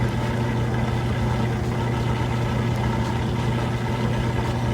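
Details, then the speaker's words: Kenmore stacked laundry center washer with belt and tensioner pulley drive, final spin near full speed: a steady even low hum with the drain pump running underneath, no thumping or wobble; smooth, balanced, normal spin. "There it goes, getting up just about full speed. You can still hear the drain running, but it's got a nice fast spin, smooth and balanced."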